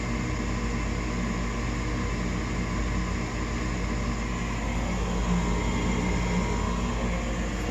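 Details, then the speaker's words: Newly installed furnace after igniter fitted; steady low hum and even airflow, no rattles or clicks, lit and running normally. "Oh. That's a good sign. I hear humming."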